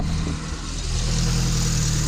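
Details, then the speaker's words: 1972 Fiat 850 Sport Spider with the 903 cc (0.9 L) engine, after fitting an adapted Fiat 127 alternator, started without starter fluid and not fully warm: a steady, even idle with a smooth low beat, no knocks, ticks or whine; healthy, charging at 13.5 V. "there you go now it's not perfect I didn't get it completely hot but I got a good starting and running engine"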